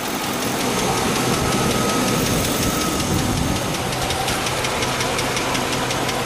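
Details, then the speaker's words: 2003 GMC Yukon XL 1500 SLT 4WD, 5.3L V8 with cracked heads, coolant in oil, washed-out bearings and low oil pressure: light quick ticking over steady idle; owner unsure whether lifters or bearings. "Here again, probably in the background, you can hear that ticking noise. So, you know, I don't know if that's just lifters, if that's the bearings, or what."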